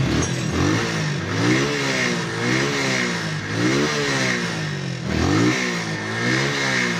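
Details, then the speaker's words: Rusi motorcycle engine after replacing the fouled spark plug that kept it from running: revs up and down repeatedly, pitch rising and falling cleanly with throttle, no misfire or stumble; normal running and revving. "So yun lang yung problema ni boss mga katropa, spark plug lang. Ito, kaya hindi umaandar yung motor niya."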